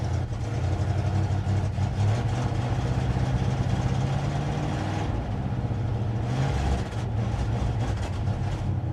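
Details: 1957 Dodge Texan after first start from sitting since July 2023: low uneven idle with an irregular lope; carburetor squirting from only one jet, likely a huge vacuum leak because its body is loose on the base.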